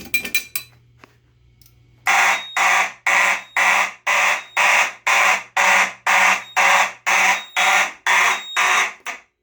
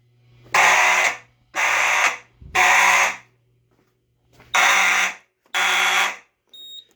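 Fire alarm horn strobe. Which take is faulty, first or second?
first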